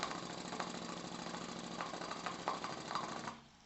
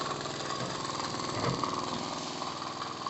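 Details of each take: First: Miniature 5 cc Stuart D10 replica twin steam engine, crank at 90°, valve fully open with pressure falling to about 1 bar; soft quick chuffing with irregular ticks fading as it stalls, little torque: valve timing needs adjusting so it should run down to 0.5 bar. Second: Miniature 5 cc twin-cylinder steam engine, a Stuart D10 replica without Stephenson valve gear, at full valve opening and about 1 bar; quick, even chuffing about four beats a second with steady steam hiss: running perfectly.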